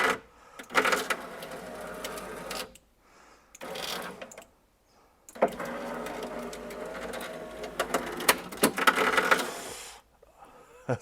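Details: 1999 Porsche Boxster 986 driver-side window: motor whirs in uneven bursts with rough crunchy scraping as the glass drops; worn window regulator with kinked cable, also failing door-handle window drop, replaced reusing motor.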